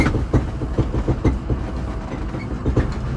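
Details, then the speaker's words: 2006 Ford F-250 6.0 diesel driven over a rough road: dull thumps about twice a second over heavy road rumble from worn cab mount bushings, before replacement with Energy Suspension bushings. "Then we'll come back and get those new bushings installed, and hopefully get rid of that clunking. Now this road shows it a lot worse than a lot of the roads around here"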